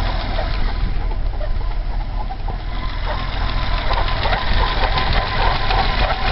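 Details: BMW 320i E30 M20B20, engine cold, noise appeared after about 100 m of driving: six-cylinder idles unevenly with a wavering lumpy beat and faint intermittent squeak; source not yet pinned down.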